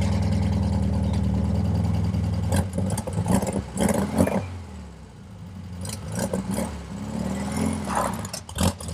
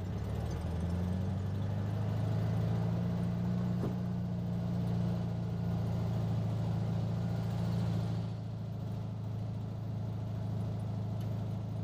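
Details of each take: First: 1967 VW Beetle flat-four, first drive after swapped intake manifold, replacement carburetor, and distributor: uneven pops and stumbles and hesitation when throttle is stabbed; owner suspects lean running or valves, plans valve adjustment. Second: 1967 VW Beetle flat-four after swapped intake manifold, carburetor, distributor (009 without vacuum advance replaced) and valve adjustment, warmed up: steady low drone, slight rise then settle, no misses or stumbles; runs well though still lacks a little power.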